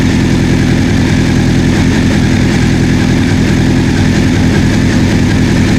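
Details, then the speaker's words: 1984 Honda CB700SC, first run after fixing a no-spark fault, warming up: steady, even idle with no ticking or knocking; exhaust smoke clearing, no carb leaks, owner thinks carb sync may not be needed; healthy idle. "smoke is clearing out of the exhaust heads are sounding good I don't see see any fuel leaking from the Cars I might not need a synchron ice though man it sounds good got to keep warm"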